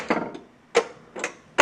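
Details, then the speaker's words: 1981 Bally Mr. & Mrs. Pac-Man pinball (-35 MPU) in solenoid test: sharp dry clicks, four in under two seconds at uneven spacing, in a quiet room; the solenoid expander relay pulls in so one transistor drives two devices, which is normal. "and the reason that it's clicking is that it uses one transistor to power two devices"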